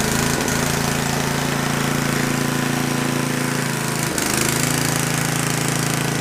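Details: Gas-powered generator engine after lapping valves and cleaning carbon to fix no compression: compression restored, small engine starts and holds a steady, even chug around four beats a second with no misses or stumbles.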